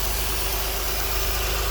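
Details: 2004–2008 Acura TL Type S (Honda 3.2/3.5 V6) at idle after replacing the knock sensors, knock sensor wire, intake plenum gasket and injector O-rings. Smooth, even low hum with no ticks, hisses or misses. No fuel or vacuum leaks; normal idle.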